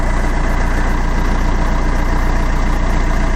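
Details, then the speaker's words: Fiat Doblo at idle after oil sump replacement and new exhaust with cat fitted; smooth, even low idle with steady beat, no knocks or rattles, less bassy than before, oil pressure light off, engine light still on; sounds much better, normal idle. "sounds much better oh yeah"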